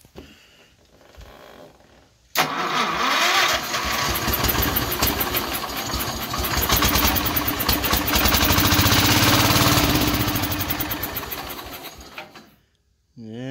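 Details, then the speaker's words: Wheel Horse GT14 garden tractor, long abandoned, old fuel, starting with starting fluid sprayed in after starter slipping; fires abruptly, blows smoke, settles into steady even run about ten seconds then shuts off; normal start, smooth run. "has life Wow fires replicas nothing I don't know how long this thing sat blew quite a bit of smoke out of it Wow sounds good smooth yeah that's really exciting very excited"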